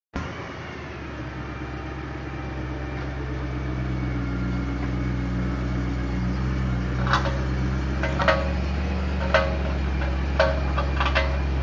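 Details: 2008 BMW M3 rolling: low road rumble builds, then sharp rasping scrapes roughly once a second with wheel rotation; loud scraping noise from the wheel.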